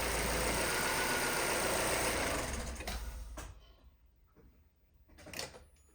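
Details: Vauxhall Astra salvage rebuild, first start after non-start, fault codes 24 and 59 still present and coolant needed: revs held with busy even clatter, then settles to quiet steady idle without misfire; doesn't sound too bad.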